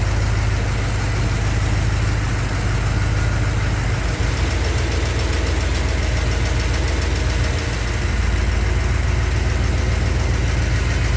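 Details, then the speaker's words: 383 stroker V8 in a truck, after engine repair, warming up outside: heavy steady even rumble, no misses or knocks; basic fuel pressure set, running smooth, no leaks underneath, a few small exhaust leaks remain; normal idle. "basic fuel pressure is set it seems to be running good and smooth and there are no leaks underneath"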